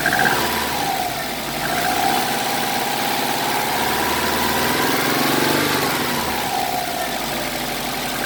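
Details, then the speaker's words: 2009 Subaru WRX hatchback, brand-new EJ255 long block with about 11,000 miles, revving: faint quick metallic tapping riding the engine note, heard about 1500–2500 rpm; owner hears metal-on-metal sound, possible rod knock or rod bearing, cause undetermined. "I can hear it from about the 1500 rpm range to about 2500 revving it up from about 15 to 3 steadily I didn't hear it but there's definitely a metal-on-metal sound happening"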